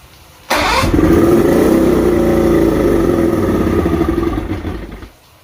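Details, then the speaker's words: Outboard after plug check, fuel pump and carb rebuilds and trigger adjustment, rebuilt with no visible air leaks: starts and idles unevenly with a thin steady chirp still present; rough idle, surges and misfires. "got it idling. I still have a chirp, which is driving me nuts."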